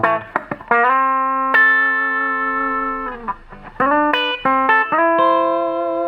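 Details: Probably mid-1960s Dallas Scala single-ended guitar amp after repair: clear notes sustain cleanly with no hum or harsh fuzzy breakup, only faint background white noise; previous harsh distortion fault gone.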